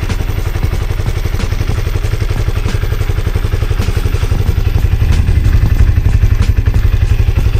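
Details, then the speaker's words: Honda CB150R motorcycle after over five months running 100% cooking oil instead of engine oil: steady, even low putter at idle, about four pulses a second, no knocks or rattles; owner finds it smooth and healthy, normal idle. "Suara mesinnya setelah lima bulan lebih menggunakan minyak goreng suaranya halus Mbah tetapan suaranya halus dan saya kira masih sehat-sehat saja Bah mesinnya suaranya tetap halus"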